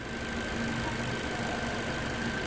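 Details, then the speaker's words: 2016 Toyota Corolla with a newly installed replacement engine, idling after a leak check: steady, smooth idle hum with an even tone, no knock or rattle; runs cleanly. "e agora a gente vai e dá uma olhada aqui tudo funcionamento dele é muita melodia olha aqui beleza"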